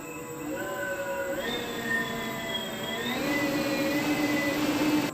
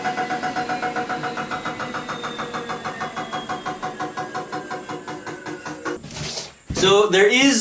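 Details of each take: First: Homemade 72V 12,000W electric dirt bike on Kawasaki KX250 frame; after grinding down a rubbing bolt the clean electric whine climbs in steps with throttle, no rubbing or scraping, noise fixed. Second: Homemade 72V 12,000W electric dirt bike on a Kawasaki KX250 frame, running on the stand: rapid rhythmic ticking tracking wheel speed as a brake disc bolt rubs the caliper bolt; fix is shortening the bolt.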